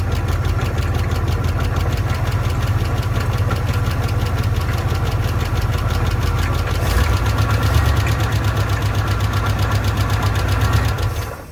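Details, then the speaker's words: Old antique car with unknown carburetor, fuel poured into the bowl from a bottle: rough lumpy running about eleven seconds, then dies when given gas as if fuel-starved; owner suspects bad accelerator pump or flooding. "Boy, you give a little gas and she dies right out."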